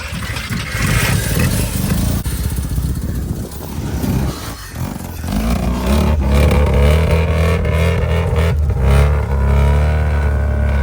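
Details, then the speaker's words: 1985 Mazda RX-7 rotary, first start after sitting 30 years, running only on sprayed fuel: lumpy, surging, stumbling firing with heavy smoke. Apex seals are thought to need lubrication. Rough running. "look at all the smoke sorry Otis that's probably about as good as it's going to get with us spraying it"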